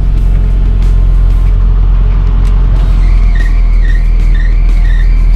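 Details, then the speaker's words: Mini: engine rumble, then high wavering chirp-squeal about twice a second once AC switches on, belt slipping under compressor load; belt squeal with AC on. "terdengar suara belts menangis menjd"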